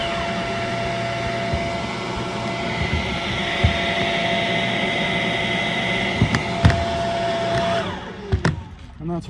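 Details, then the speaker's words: Shark Rocket HV301 stick vacuum, trash find that was clogged, run after filters washed: steady clean high motor whir with no stutter or choking, then winds down; much better, strong even suction. "Let's turn it on and see if that made any difference. Much better."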